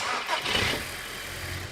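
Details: TFSI engine being tested for a starting/running fault while relay 614 on the relay carrier is monitored: short crank catches right away into a steady idle with no stumble; clean start.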